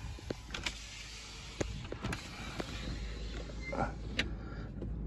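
A steady electric motor whir as the glass travels, with soft stop clicks and no grinding or binding; the window mechanism works normally.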